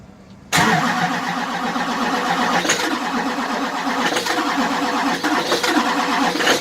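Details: 2005 LLY Duramax diesel, cold start at 12–13°F after sitting two days in sub-zero weather, plugged in but block heater off since morning. The starter catches and it fires at once, settling into a steady clattery cold idle with no misses: a healthy cold start.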